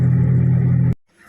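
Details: Hyundai i20 while moving: steady low droning rumble of a worn wheel bearing, cutting off abruptly.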